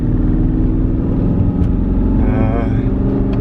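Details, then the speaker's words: Aston Martin Vantage climbing a mountain on a long road trip, losing power, no check engine light at this point, throttle held steady: engine pulling under load with an uneven, stumbling, sputtering note, running rough. "It's just really weird that we're not getting any check engine light. You can hear it sputtering a little bit."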